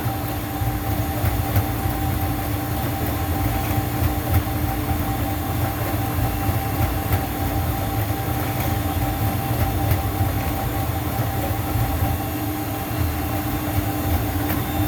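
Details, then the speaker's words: Juma 110 escalator cleaning machine mid auto cycle, water through the filter, vacuum on, cleaning solution dispensing: steady low droning vacuum with constant mid tone and faint regular ticking; normal cleaning cycle. "You see the water's coming through the filter. Vacuum is on. Cleaning solution is being dispensed out."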